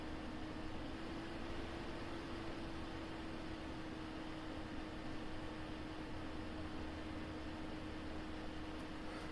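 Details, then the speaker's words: 1990s PC power supply rebuilt in an Apple II floppy drive enclosure, 5 V rail near 5.2 V; the newly fitted fan runs with a steady, even whir and smooth airflow hiss, no ticking or rubbing, a bit louder than the old fan. "New fan's a bit louder, but it'll definitely work better, especially in the cold, because I sometimes run this power supply when it's minus 10 or something out, and it doesn't ever sound happy."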